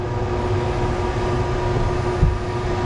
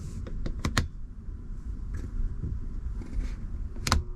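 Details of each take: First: Cruisers Cantius 50 yacht with a newly installed replacement Dometic air conditioner, AC water pump on, mode cool, fan turned up a couple clicks: a steady airy rush over an even low hum. The blower fan runs normally. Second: Faulty Dometic air conditioner on a Cruisers Cantius 50 boat, before replacement: clicks, then it starts with a hum that swells into rough, crinkly crackling noises and flips the circuit breaker; unit to be replaced.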